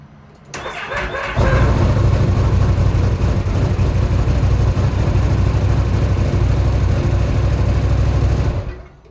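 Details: 2025 XMR 1000 starting: a brief whirring crank with rising tone, then the engine catches into a loud, deep, uneven run; owner reports a weird noise at start.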